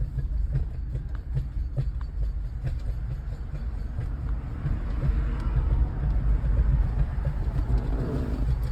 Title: 2013 Toyota RAV4 makes a noise when turning in circles/doing tight turns. any idea what it could be?